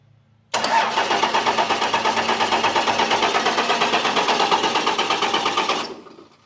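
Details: Abandoned Cummins Dodge plow truck sitting years, first crank attempt: even cranking pulses roughly three per second for about five seconds, never catching; cranks but no start.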